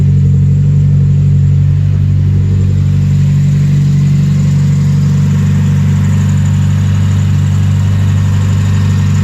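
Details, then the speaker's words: 1993 Mazda Miata 1.6L four-cylinder idling after replacing spark plugs: smooth, even steady low hum with no misfire, stumble or ticking; running properly. "Sounding real smooth. Everything seems to be working properly."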